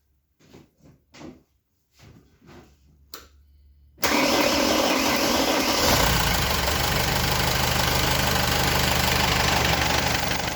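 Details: Mercedes W210 diesel, idling during AC recharge with R134a after the owner complained the AC did not work (refrigerant pressure sensor fault): a few light clicks, then steady even idle with compressor engaged, no knock or grind; normal compressor operation.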